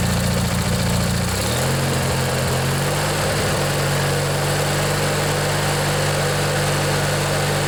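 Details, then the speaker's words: Old Montgomery Ward MTD riding mower, vintage Briggs & Stratton 16 hp flathead opposed twin, after replacing a worn starter motor: even low rumble holding steady after brief settle, no misses or knocks, smoking a bit. Normal idle. "yeah it runs real nice you can see it's kind of smoking a bit but it'll burn out i'm sure"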